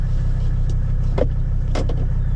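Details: 1985 Mercedes 300D diesel back on the road after four years parked, center muffler removed and glass pack in the rear muffler position: steady, deep low drone with an even pulse and no rattles or blowing; healthy exhaust note.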